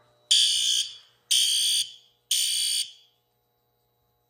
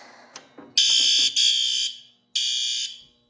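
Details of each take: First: Fire alarm horn on a demo-board panel, under system test: loud harsh horn blasts about a second each, three in a row, a pause, then repeating, the temporal-three evacuation signal. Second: Fire alarm panel demo board, previously repaired, with many troubles showing, system test pressed: several relay clicks, then three shrill alarm blasts of about half a second each. Fire alarm sounding normally on system test.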